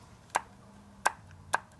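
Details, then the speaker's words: 1965 Harley FL panhead 4-speed ratchet-lid transmission with loose roller bearings, during rebuild; four crisp metal clunks about half a second apart as the kicker shaft is pushed back and forth, showing excessive end play. "hear all that Inplay it's got quite a bit"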